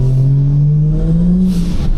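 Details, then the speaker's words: Car driving after dump valve fitted via new welded elbow; smooth pull with steady tone climbing with revs, no fluttering or chuffing on lift-off; compressor surge gone, turbo running normally. "du coup il y a plus de surge ah ça fait bizarre d'ailleurs je suis en train de capter de la rouler sans surge"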